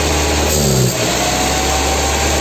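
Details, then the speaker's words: VW Passat B3 petrol with single-point injection (mono-injector), hard starting and not holding idle: idle wavers and dips instead of holding steady; air sucked past the worn gasket under the injector unit. "меняйте слабый все воздух подсасывает отсюда таранить небольшой расход из остальное вот обороты плавают"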